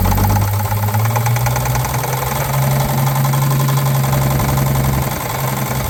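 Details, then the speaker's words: 1950 Chevrolet 3800 one-ton with Chevy 235 inline six, abandoned since 1977, idling with deep loose knock under steady low rumble; full 60% oil additive treatment did not remove it: worn babbitt rod bearing knock. "however in badly worn engines you can use up to 60% so naturally we used the full 60% and uh it did not remove our knock"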